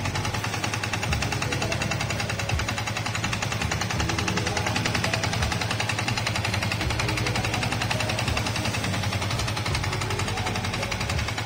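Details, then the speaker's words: Yamaha Vixion motorcycle with rough engine and an oil leak, started at idle: harsh, fast, uneven rattling clatter across the clip; mechanic suspects scored piston or similar internal wear, not yet confirmed. "Oke mesin kasar ini bisa didengar suaranya"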